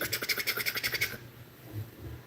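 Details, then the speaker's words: Corsair AIO radiator fan on a PC, clicking and thunking: rapid rough ticking about eight knocks a second chopping through fan noise, like a helicopter, then cutting out; bad fan bearing, fan to be replaced. "It is angry. Sounds like a helicopter."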